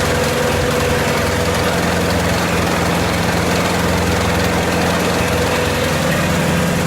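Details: 1928 Farmall Regular tractor idling after carburetor tweaks, just started with timing advanced about halfway: slow, even putter with steady low hum, no knocks or misses; smooth, healthy normal idle.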